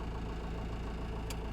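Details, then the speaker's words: Kobelco ED150 midsize excavator, 35,000 lbs, cheaply bought, starts right up cold without warm-up; even low diesel rumble at idle, regular firing with no knocks or misses: healthy. "Oh my. Starts right up."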